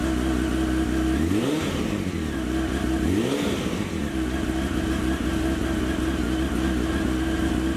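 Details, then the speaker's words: 2001 Honda CBR929RR, unused for a couple of years, after fuel pump and injector replacement: crisp idle, two clean revving blips, then a steady, even tick-over. Normal start and rev. "like I showed you guys we got the bike running it's nice and smooth"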